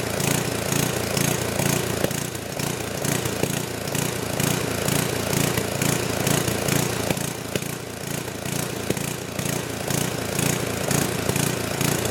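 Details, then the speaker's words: Old 10hp gasoline generator converted to propane using only the LP regulator from a cheap aftermarket carburetor: speed rises and falls about twice a second with an uneven gallop and occasional backfire. Hunting; owner suspects it is not drawing enough fuel. "so it's not running perfect it's got a little gal up to it a little backfire"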